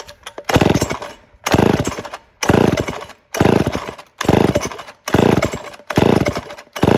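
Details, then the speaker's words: Early-1970s Remington SL 11 chainsaw after cleaning and setting points and carburetor adjustment: crisp revs about once a second, picking up cleanly and dropping back without bogging; runs well, seemingly no further carb adjustment needed. "so i ran it for a bit and it really doesn't seem like it needs a carburetor adjustment"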